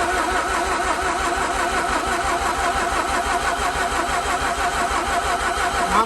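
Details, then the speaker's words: Mazda RX-8 rotary engine being de-flooded after a stuck alternator pulley fix: plugs removed and oiled, cranking with gas pedal and clutch down; steady cranking about three turns a second, never fires; cranks but will not start. "de-flooded every time you know you try to start it with you know the foot off the gas it's giving it some fuel and then you just keep doing the same thing over and over and over resulting in somewhat of a flood"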